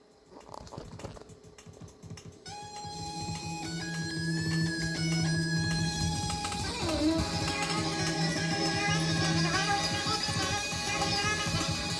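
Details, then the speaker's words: Vintage Fostex XR-3 4-track cassette recorder bought from Japan (3.75 ips) playing back an old multitrack tape: the music is sped up and high-pitched, chipmunk-like, "like in hyperspace", perhaps double speed. The deck runs the tape too fast. "So it works, but as you can hear, it's like in hyperspace. I don't know if that's double too fast, but it's fast."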